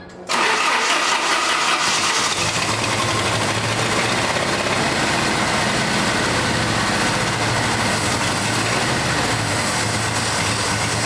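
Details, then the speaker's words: 1989 Jeep Wrangler YJ 4x4, 2.5L four-cylinder, fuel-injected, manual, sat 12–13 years: brief starter churn, then ragged unsteady idle; hard starting. "It's not happy though. Sounds like it's like All right. So, it probably is. That's why it's having a hard time starting, too."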